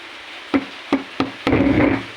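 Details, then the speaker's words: AJ Bluetooth/MP3 speaker cabinet with hiss and hum from the right speaker: three sharp taps on the cabinet over steady hiss, then a brief crackle burst, suggesting a loose connection. "เหมือนมันหลวมมันหลวมอยู่ตรงไหนเดี๋ยวมาดูกันนะเพื่อนๆ"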